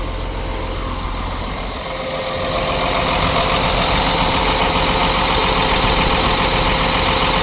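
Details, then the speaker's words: Ford F750 with a Cummins diesel, first start after sitting for years, after a skip was fixed: steady, even idle with a firm rhythm and a brief hiss as air pressure pops off; running smoothly. "Air pressure just popped off. Oh, listen at how smooth now."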